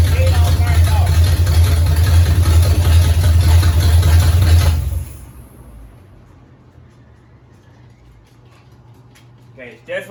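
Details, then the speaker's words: 1969 Pontiac GTO barn find with Grand Prix engine, TH400 and Quick Fuel 750cfm carb, restarted after sitting 17 years, now with hot ignition and fuel; deep even V8 idle about five seconds then cut, sounding a little better, oil leak behind the booster. Running after long storage. "i do have hot ignition now and it sounds a little better with some gas in it"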